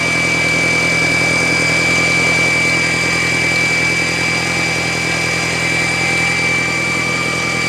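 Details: Audi A4 B6 1.8T petrol: after sitting all day, a loud steady high-pitched whine just after cold start. The fuel filter was replaced without curing it.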